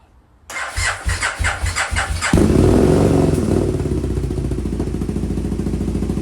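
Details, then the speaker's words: 2002 Aprilia RSV V-twin barn find, stored 8 years, first start on new fuel system after priming: uneven heavy thuds, seemingly firing on one cylinder, then a bang from exhaust and it roars to life; cause unconfirmed. "it was running on one cylinder I gather cuz you could hear it just thudding away and I was like okay it's fired maybe it just needs a second and then bang out the exhaust"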